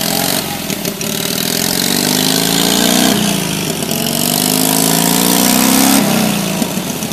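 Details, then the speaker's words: 1964 Rand Mailster with its Onan industrial engine, after troubleshooting a hard start: engine catches and keeps running, revs rising and falling smoothly with no misses. Runs normally again. "yep the mystery machine back and running"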